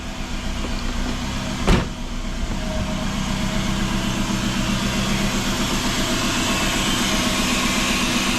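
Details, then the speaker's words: Rusty 2005 Dodge Neon SXT 5-speed that sat long under a tree with possibly old gas, idling: thin constant whine of unchanging pitch over the engine; power steering pump noise. "are steering pumps making some noise"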